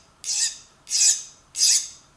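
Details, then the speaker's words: File stroked across the spring-loaded ratchet pawls to test hardness during a Craftsman vs Pittsburgh Pro ratchet teardown: three strokes give a bright, high-pitched glassy hiss with no bite, so the file skates; pawls are hardened. "Yeah, that's hardened. You can hear it. As opposed to, it has that higher pitched, almost like I was running this on glass."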